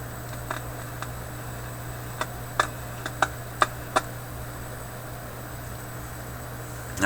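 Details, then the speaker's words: Philips 922 vacuum tube radio: steady low hum with irregular sharp pops and crackles, about eight in seven seconds; a capacitor inside the IF coils is suspected, not confirmed, as the crackle source. "there's a pretty good risk that there's a capacitor right up in these uh iaf coils that's making that that noise"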